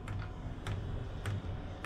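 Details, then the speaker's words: Newly installed eBay Chinese diesel heater in an MDC XT12 hybrid caravan, just started; sharp single ticks about every 0.6 seconds over faint hum from the dosing fuel pump priming, normal, though owner expects the ticking will be annoying. "i reckon that ticking is going to get bloody annoying"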